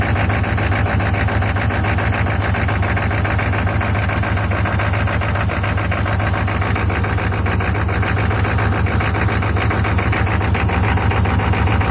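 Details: 1995 Chevy 6.5 turbo diesel: loud diesel clatter at idle with a lumpy, uneven beat about twice a second; rough idle, cause unknown.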